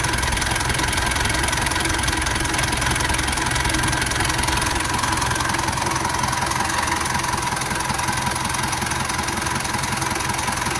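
The idle is uneven, with a lumpy beat of roughly two to three pulses a second and no clean rhythm, so the engine is running rough.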